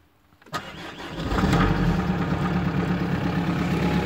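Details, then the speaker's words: 1999 Audi A4 Avant 1.9 TDI, very cold start in a Hungarian winter after weeks buried in snow: brief cranking, then the diesel catches at once and settles into a steady, even idle with no misfire. "the first time as you can hear it the diesel engine starts for the first time [Applause] yeah she's on nicely sound I think she's perfect she's old but gold"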